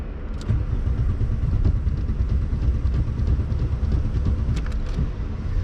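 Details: Rusty Saturn yellow VW Golf Mk3 headed for scrap, after a push-start attempt, revved hard: loud, uneven revving with a ragged, stumbling beat, barely firing and close to dying; rough running and stalling.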